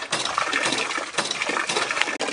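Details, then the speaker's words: Experimental siphon hydraulic ram pump on a fall of about 1 m, with its small air reserve opened: sharp watery knocks about every half second over splashing flow. The air reserve absorbs the hammer, so the blows are less violent but no water comes out the delivery end. "Voilà, on entend déjà les coups de béliers qui sont moins violents."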